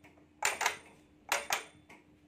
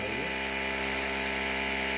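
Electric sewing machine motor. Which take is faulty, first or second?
first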